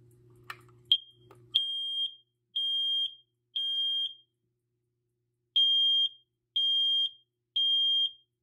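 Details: BRK/First Alert alarm, newly unboxed and wired to its harness, on test: loud shrill beeps in groups of three, each about half a second, with pauses between groups; the alarm sounds correctly.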